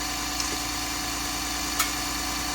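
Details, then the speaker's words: Shop truck idling with engine temp reaching about 200°F (normally never over 180); thin steady high-pitched fan motor whine with no rush of air, as the cooling fan blade has come off the motor. "What you hear there is the fan motor. What you don't hear is the fan moving air."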